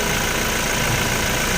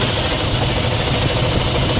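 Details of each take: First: Toyota Fortuner diesel idling: smooth even idle, no whirring or droning from belt side; healthy. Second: Toyota Fortuner 2GD diesel idling: steady idle with low throbbing helicopter-like drone on top from worn alternator bearings.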